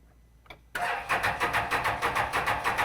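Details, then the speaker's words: 2016 Can-Am Defender HD10 XT left in the desert about five years, with rebuilt fuel pump and fuel pressure confirmed: cranks evenly at about three beats a second but never fires; injectors not firing, possibly stuck. "yeah the injector is not firing so so it's either signal going to the injector which I think we can check or the injectors are stuck from from stuff in it"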